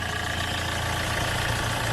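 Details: Hyundai Getz engine at 149,668 km, after clutch kit and oil pan gasket replacement for oil loss and poor pulling: even, steady idle with a soft hum and no ticking, knocking or stumbling; healthy.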